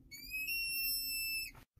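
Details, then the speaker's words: Vacuum-assisted brake booster: pushing the brake pedal very hard lets vacuum leak past the plunger, giving a clear, steady high whistle or squeal that cuts off abruptly. "we start leaking vacuum and it causes that squealing"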